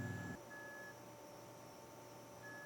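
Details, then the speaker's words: Dead LaCie external hard drive when plugged in: faint, thin, high beeps repeating in short bursts, and the drive is not detected. It previously made a loud grinding noise. "I don't know if you can hear it but it's beeping and you can see it's not detecting"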